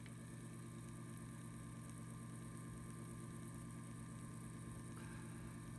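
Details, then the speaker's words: 2 RPM pellet stove auger gear motor, sealed shaft, on bench: quiet smooth low hum, no grinding or clicking, far quieter than the others; healthy. "it's just humming away lift it up and it's turning and you can see it's turning might be turning more rapidly than the one you have because this is a 2 RPM Motor"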